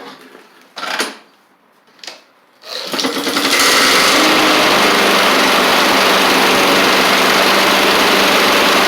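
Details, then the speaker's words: Husqvarna push mower with Honda GCV160, cold day: a few pulls and catches, then loud, hard, raspy rattle at full speed under the deck; blade looks off center, owner suspects blade or partially sheared blade key, not confirmed. "I do kind of want to look at the blade and the blade key cuz it sounds like something's going on down here doesn't sound right and this thing looks off center too so that would make sense"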